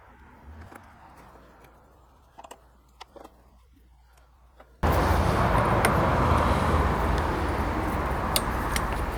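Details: Lawnmower after carburetor cleaning and recoil starter pawls lubricated: engine catches and settles into steady even drone without dying or odd noises; running normally after repair.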